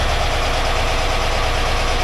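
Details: 1982 air-cooled VW Vanagon Westfalia, restored engine running after starting problems were sorted; warm engine idles with a low, smooth, constant hum, no irregular beats. Oil light out, alternator charging 14 volts. Healthy normal idle.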